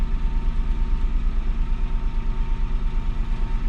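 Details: 2007 Citroen C1 engine during a fuel sender replacement job: steady, even idle with a smooth low pulse of about three beats a second, no knocks or misses; normal idle.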